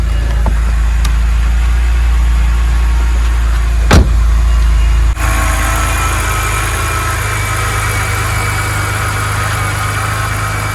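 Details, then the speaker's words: BMW E90 N52 petrol engine idling with a steady low hum after replacing a collapsed/torn oil filter that caused a high-pitched whistle; whistle now gone, normal idle. "it's gone there we go folks so fortunately in this case um this was able to solve it like I said it's the oil filter that has ended up being collapsed"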